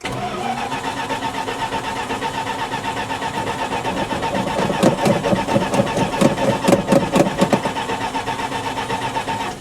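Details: Cranking test on a salvage-auction 1966 Plymouth Fury II: the starter churns the engine at about two beats a second with an uneven rhythm and it never catches or fires. Cranks but no start, cause unconfirmed; starting fluid or gasoline is believed likely to get it running.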